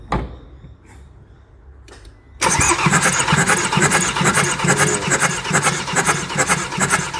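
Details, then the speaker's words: 2011 Ford Transit 2.2L turbo diesel after a snapped timing chain and a new chain kit: compression test on cylinder three gives steady, even cranking at about two beats a second, good, balanced compression (about 320), valves undamaged. "so we're just doing a compression test we've actually got good compression on on those on which one's this number three"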